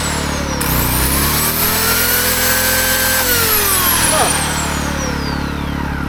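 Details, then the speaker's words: AiVolt 1600W (1260 running watts) gas inverter generator running a chainsaw. A steady drone with the motor's rising and falling whine, and the overload light comes on then goes off. Owner thinks the chainsaw is a bit too much, labouring near its limit. "It's running it. The overlight load is light is coming on, but then it goes off. So, I got to read up on that. But I think this this chainsaw a little too much for that."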